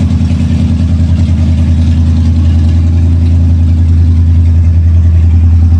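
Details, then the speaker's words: 1979 Lincoln V8 just after an oil change, old stale gas run through, air cleaner refitted, started in garage; deep steady rumble with even pulse about 3.5 beats a second, no knocks or misses; hardly smoky, healthy idle. "so fire it up let it run for a minute yeah let's start it then open the garage door [Music] hardly that smokey anymore"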